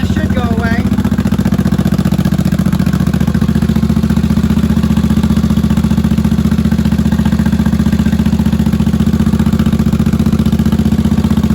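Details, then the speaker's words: 1983 Honda Shadow VT750C 750 V-twin, first start after sitting, on auxiliary fuel tank, choke turned back: even steady idle about 220 pulses a minute, no misses or knocks; some smoke, likely burn-off in pipes. "all right hey guys I think we got a runner battery and turn the choke back she idle's good I'm impressed real nice nice"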